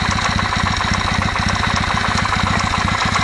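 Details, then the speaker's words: Kawasaki W650 engine, warmed to operating temperature (quiet when cold): dull regular tok-tok at idle from the camshaft drive area, valves ruled out; owner suspects mesh of driven and drive cam gears. "так уже слышно вот этот звук а мог слышите ток ток ток ток ток ток ток"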